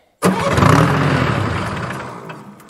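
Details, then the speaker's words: Detroit Diesel dragline crane abandoned 20+ years, temporary fuel rig not returning excess fuel to the tank: it catches with a burst, then sags and fades out because the tank ran low. Fuel starvation. "well we found that it was sounding like it was running out of fuel because it was running out of fuel i hadn't noticed how low that tank got"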